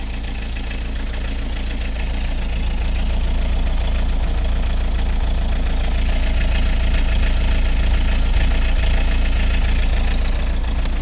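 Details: Isuzu I-Mark idling evenly after replacing the squealing fan belt with a new one: steady low idle with a regular beat around four per second, no squeal or knock; normal idle.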